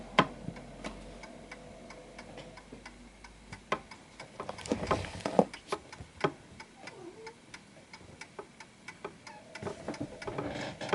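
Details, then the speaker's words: Antique Westminster chiming pendulum clock pushed off its center of gravity: unevenly spaced tick and tock, a limping one-sided rhythm with a wobble; out of beat. "So as you can hear, it's slightly off because there's a wobble. It's like more one-sided than the other."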